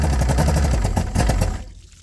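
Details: Johnson GT 200 outboard after new starter and power pack, plugs in, water flowing: quick, even two-stroke firing pulses with a low throaty beat, then the sound fades; starts and runs cleanly.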